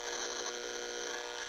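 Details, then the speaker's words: Harsh, steady buzzing static from a noise sniffer plugged into an inexpensive power strip: AC line noise passes straight through with no filtration, unlike a Panamax conditioner. "noise sniffing into this inexpensive strip there's no noise filtration going on"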